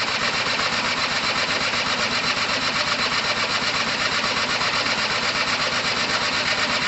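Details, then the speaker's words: Gilera DNA 125 two-stroke: starter churns fast and evenly but the engine never catches. The oil pump has pumped, and there is fuel and power. Something was said to have overheated; spark is not yet checked. Cranking, no start; cause unconfirmed. "okay so it's not quite ready guys it's not quite ready what we haven't checked for is sparks so um in a minute i'll pop the plug and we'll check for spark"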